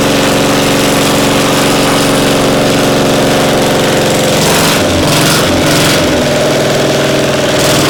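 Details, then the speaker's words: Caterpillar Diesel 70 pony (starting) motor finally firing after timing and tuning work: loud, steady small-engine chug with slightly uneven beat and surging; rhythm off, timing a tick behind, cause not confirmed, not ready yet. "To the untrained ear, it sounds like success. But to two cold iron cardiac surgeons, something's off. The rhythm isn't right. The timing's just a tick behind."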